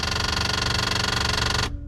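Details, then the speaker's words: 1971 MGB electric fuel pump with the ignition switched on: rapid, even buzzing tick at a steady pitch that stops cleanly at switch-off. Normal electric fuel pump operation. "sounds healthy"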